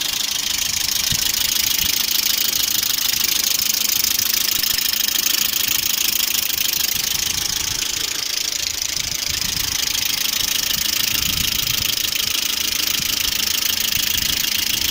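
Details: Lada Priora with VAZ-21126 engine: light fast top-end ticking at idle, about three taps a second, from the hydraulic lifters, cold and hot; oil viscosity changes and a new oil pickup didn't cure it; cause unconfirmed.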